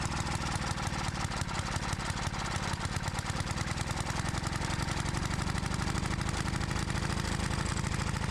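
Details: Edger engine found in the trash (previous owner said it burns too much oil; oil overflowed when checked) chugs fast and slightly uneven after fuel/air screw adjustment, never settling; rough running, carb screws probably need more adjusting.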